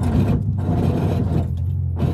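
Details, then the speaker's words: Lowered car on 40k coil springs with a new, modified exhaust that hangs low, driving: a harsh, uneven metal scrape over the rumble, coming and going with the road, as the exhaust drags on the ground. "but as you guys can hear it's not going too hot it's scraping on flag"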